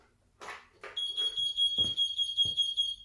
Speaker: so basically it's beep in and that sequence of beeps it's telling you that the brake is on